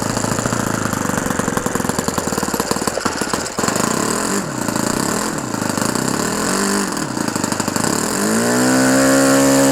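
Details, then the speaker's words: OS FS-120 Surpass 20 cc four-stroke methanol model engine, fully restored with new ring, running in on a 15x8 propeller; revs dip then climb smoothly to a steady high pitch, no misfire, mixture still slightly rich; normal running. "Avec une hélice 15-8, c'est parfait. Super. Il commence à avoir de la patate."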